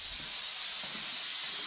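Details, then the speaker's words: Cheap blaster cabinet, compressor charged but switched off, air just turned on: steady high sharp hiss with no engine underneath, air escaping through the receiver drain left open; compressed air leak at drain valve. "What we got? What we got? That'll be it then. That's a drain."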